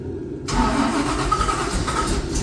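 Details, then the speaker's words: 1955 Chevy with blower just reinstalled, after bleeding the fuel line and cycling injectors: starter cranking then brief rough, uneven exhaust bursts as it catches but doesn't settle to idle; cranks and fires briefly. "hey that's a start that's a something okay try again okay we heard some exhaust note"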